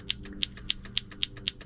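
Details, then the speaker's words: Foxbody Mustang, steering wheel hub and contact plate just reinstalled, horn wires swapped after the ground was found hot: crisp relay clicks about four a second with each button press, no horn tone. Owner suspects no power reaching the horn. "it's got power going from the button to the relay that's obvious you can hear that but I guess it doesn't have power going to the horn"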